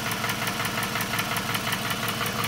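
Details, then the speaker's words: 2006–2008 Toyota Camry 2.4 engine at idle: sharp, quick ticking in time with the idle. A replaced lifter did not cure it; the noise was traced to a leaking exhaust manifold, fixed by replacing the manifold/catalytic converter with a new gasket. "uh save a lot of noise for i think the exhaust adjust manifold noise from there"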